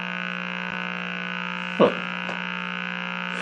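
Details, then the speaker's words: Meck XB-702 TV during restoration: constant low, raspy buzz at a fixed pitch from the speaker with brief clicks, not responding to the volume control; audio buzz, cause unknown. "i'll be that sound has got to be something real basic i mean the volume it doesn't respond to the volume control it's just a persistent wow"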